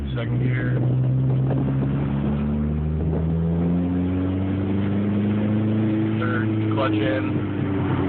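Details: 2004 Dodge Neon SRT-4 erratic idle: idle pitch wanders up and down instead of holding steady, hunting; owner suspects a possible vacuum leak, unconfirmed.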